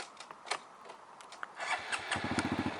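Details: Honda MSX 125cc manual motorcycle started; a few light clicks, then the engine catches at once and settles into quick, even putting, a clean start.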